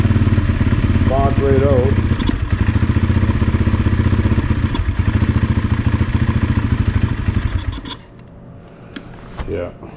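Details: Yamaha TT-R 125 single with stale, varnish-smelling fuel, on choke: lumpy idle that never picks up and dies near eight seconds; won't idle once warm until it cools; carburetor problems suspected.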